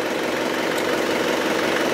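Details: Isuzu Panther diesel after replacing a dirty Sakura fuel filter to cure stumbling and stalling off throttle: even, steady idle clatter with no stumbling or surging; running properly.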